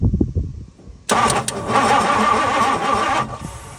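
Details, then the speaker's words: 1964 Ford Thunderbird, 390 FE big block, sitting for decades: with brand-new points fitted, starter spins steadily about two seconds but it never fires; crank no-start, no spark. "all right since that didn't work I'm going to add this new coil wire see if that'll get me anything okay round two no spark"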